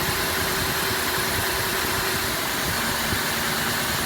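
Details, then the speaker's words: 2005 Cadillac DeVille, check engine light on, earlier backfiring from exhaust: loud, uneven, shaking idle with a ragged stumbling beat; misfiring badly at idle. "not a normal Idol it is misfiring badly oh my god here listen see if you can hear from the exhaust yeah it's misfiring badly"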